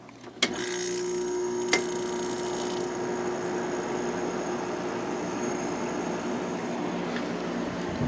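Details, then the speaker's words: 2001 White-Westinghouse WCI 5,000 BTU window air conditioner (LG compressor, GE fan motor) in a cool basement, heater placed nearby so thermostat engages: click as compressor kicks on, then smooth even hum, no rattles; normal compressor running. "okay the compressor will start now there we go"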